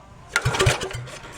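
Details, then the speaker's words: Gravely Pro 50 walk-behind with a replacement engine that sat outside a year and filled with rainwater, dried for about two hours, started on a squirt of gas with the exhaust off: a few sharp pops and a brief burst of firing, then it dies. "let's get the exhaust put back on it see if I can get this thing to run under its own power without me having two feet of gas"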